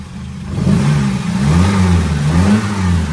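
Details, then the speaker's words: Lancia Fulvia V4, warm, after a leaky heater matrix repair: quick throttle blips rise and fall crisply with a deep, clean bark, no rattles or hesitation; revs freely, normal. "oh it's got a lovely bar"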